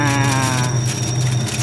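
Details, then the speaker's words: Automatic washing machine converted to manual timer, spin run after drain motor pulls the lever: loud, wavering squeal over the motor hum as the tub spins; usually something dry, per the speaker, unconfirmed. "Nah langsung berfungsi oke Ada suara mencuit biasanya ada yang kering"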